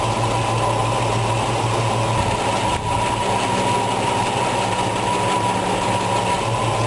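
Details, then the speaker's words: 1965 Ford Mustang GT 289 V8 idling after timing is set to 6 degrees, then advanced to about 12 degrees BTDC: steady low rumble with a constant whine, rpm rising, running slightly better with no misses; normal idle. "So what I'm going to do is advance it a little bit. You can hear the RPMs coming up. Seems to run a little better there for me."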